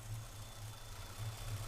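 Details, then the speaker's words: Freshly installed throttle body injection system on distributor engine, first startup: very slow, uneven idle near 450–460 rpm, barely running; throttle plates too closed, to be opened to about 650–700 rpm. "timing light, as you can see, has a tachometer on it, and you can see it's at 450, 460. I'm surprised it's even idle, and sometimes you have to keep the throttle to keep it going."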